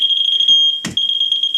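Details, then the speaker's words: Moisture meter probing a water-stained wall panel behind peeled material after remediation declared done: rapid continuous high-pitched beeping; highly elevated moisture, not properly dried, mold growth. "that is highly elevated moisture. Dry should sound like this, like nothing. wet and saturated sounds like this."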